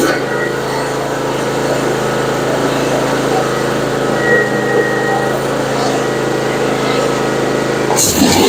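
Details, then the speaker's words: Kawasaki FR691V V-twin on a Cub Cadet ZT2 50 mower after oil, filter and spark plug service, run at half throttle on choke: steady, even drone with no misses, knocks or surging. Runs smoothly, no issues. "Sounds good, no issues."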